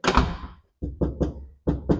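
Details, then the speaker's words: GMC C30 crew cab door after stuffing sound-deadening material into the door panel: short, deep thuds dying fast with no tinny ring, unlike the earlier tin sound; solid door thunk. "you can hear the difference hear that tin sound now we got that nice thunk right"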